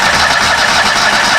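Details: 2013 Steiner 440 air-cooled tractor, earlier a no-crank from a bad ground. A steady starter whirr with no firing at all. Crank, no start from no fuel delivery.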